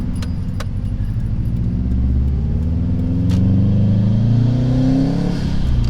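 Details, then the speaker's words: Subaru STI turbo boxer, back on the road after two years sitting, on old fuel, while driving: deep, even rumble climbing smoothly through the revs, no knocks or rattles, monitored parameters look good; healthy engine and exhaust. "I miss that sound. That's a good sound."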